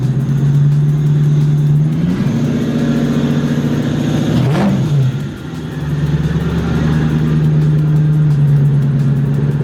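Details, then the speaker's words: Lexus LS400 V8 drift-project car just started after a long time sitting: strong steady V8 rumble with one clean rev blip settling back to an even, buttery smooth idle; normal running. "Fucking buttery smooth idle."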